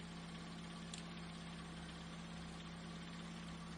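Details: Ford Fiesta 3-door idling in neutral, charging at 14 V with a good battery. Quiet, smooth, steady hum with no knocks or misses; engine idles healthily while the charging system works.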